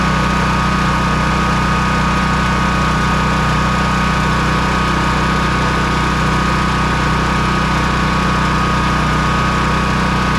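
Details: Honda EB3800X generator with a GX240 8 hp engine, after carburetor replacement and a governor that seemed to stick came free: a steady, unchanging drone with a smooth, even beat at constant speed and no hunting or surging, a normal governed idle.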